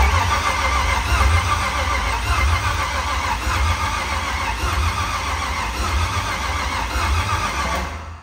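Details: Nissan S14 with LS V8 swap, first-ever start attempt with fuel added; steady starter churn about eight seconds with no catch, fuel pumping but pressure falling back and injectors not firing.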